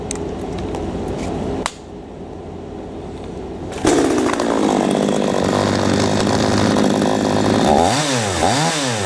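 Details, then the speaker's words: P1PE P6220C chainsaw after turning low-speed mixture screw about three-eighths turn anti-clockwise to cure hesitation: steady idle picks up cleanly to full revs and back without stumbling; normal throttle response. "okay that's absolutely fine so that was the first scenario"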